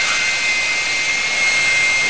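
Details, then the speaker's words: Electric ducted fan (EDF) after balancing, hand-held: steady even high-pitched rush, no wobble or pulsing, same in hand as on table; balanced fan running smoothly. "hear there's no difference between in your hand or on the table that's it sounds great"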